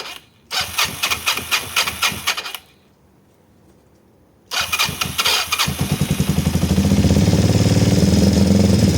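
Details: Kawasaki ER-5 twin, stood 2–3 years and previously dying under full throttle, first cold start after carburetor repair on a weak 10 V battery: fires after a few cranks, stalls, then runs lumpy and uneven before settling higher. Cause not confirmed.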